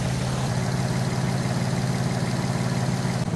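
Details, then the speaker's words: Infiniti G35 V6 at steady idle after a misfire was fixed by retightening a loose spark plug; a faint puffing tick under the low rumble comes from underneath. Small exhaust leak. "there is a bit of an exhaust leak you can hear it underneath"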